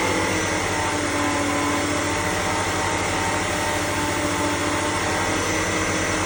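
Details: BMW E60 530i with M54B30 petrol engine, at about 1500–2000 rpm: steady engine hum with a thin constant whine riding above it. Engine whine.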